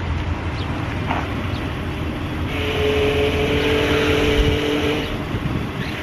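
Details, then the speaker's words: Jeep Grand Cherokee at idle with power steering fluid level checked: a steady mid-pitched whine rises while the steering wheel is turned; power steering pump whine. "it's been making some weird noises when I turn the steering wheel as you guys can see and hopefully I was able to demonstrate that good for you guys"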